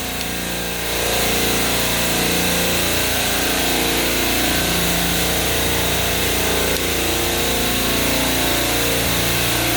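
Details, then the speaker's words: Hill Phoenix refrigeration compressor rack after 3-phase contactor replacement, compressors restarted one by one after oil-failure resets: several compressors humming with a steady drone and no knocking as pressure and capacity build. Normal running. "You hear how it's starting up. You can kind of see the pressure starting to build, capacity starting to hit up."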